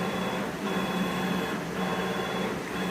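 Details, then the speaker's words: CNC machine Z-axis at full speed, about 200 inches per minute, after realigning the ball screw and nut that had been tilted and sounded rough: even, steady motor hum with a faint whine, no knocks or binding; smooth ball screw travel. "and sounds good. So I think what the problem was the ball screw probably hit the top, and it was tilted slightly to the side. So now that we let it loosen up and put it back in, so now it sounds good. It's moving straight up and down at full speed."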